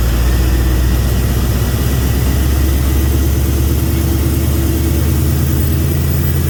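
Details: 2000 5.3 LS V8 swapped into a 1992 C1500 with reworked standalone harness, new coils and tune; deep idle with irregular stumble, cylinders dropping out; misfire, owner suspects lack of fuel as fuel pressure drops when pumps get hot.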